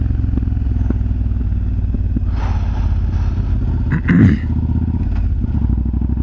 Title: Yamaha BT1100 BULLDOG exhaust popping sound